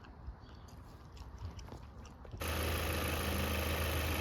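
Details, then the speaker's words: 2017 Chevy Malibu after water pump replacement and coolant top-up, previously loud from wobbling pump pulley: engine starts and holds a steady, even, quiet idle hum with no squeal or rattle; smooth, healthy. "all right now the car is running it's very smooth and Silent you can't even hear nothing"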